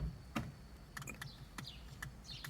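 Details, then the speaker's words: 2016 Ford Fusion AccuAir 3P air suspension, tank drained to no psi: a few sharp relay clicks but the compressor never spins up despite everything plugged in; relay clicking, compressor not running. "can hear the relay click doesn't do anything I'm sure if I had to fill the tank up for it to do anything but everything is plugged in put the compressor just does not turn on"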